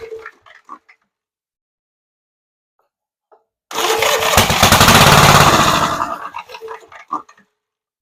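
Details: Gravely Model L garden tractor with Jenkins overhead-valve conversion, starting spray into carburetor, choke open, throttle midway: silence, then rapid firing for about two seconds before dying as spray burns away; ignition sparking properly, gasoline next.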